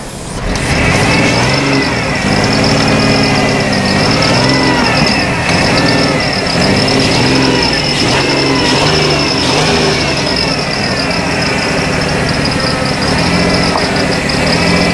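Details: 2006 Ford Taurus with a just-swapped salvage-yard engine: uneven, lumpy idle wavering and stumbling, dead cylinders from fuel injectors stuck closed, rear cylinders one and two won't free up; smoke from penetrating oil.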